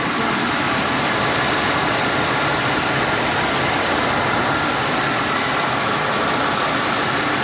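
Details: 1990 Ford LTD Crown Victoria V8 revived after sitting 8 years, fuel drained, now charging: steady even idle with smooth fan and belt hiss, no knocks or misses; normal idle.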